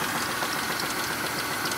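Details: 2000 Chevrolet Monte Carlo at idle, 138,919 miles: a fast rattling knock under the engine noise that appeared while driving. Suspected rod knock, not confirmed.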